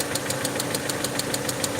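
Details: Peugeot 307 2.0i at idle after vacuum leak fix: sharp, even ticking about six or seven per second from the cylinder head top end; owner suspects broken rocker/valvetrain part inside the head and plans to remove the head.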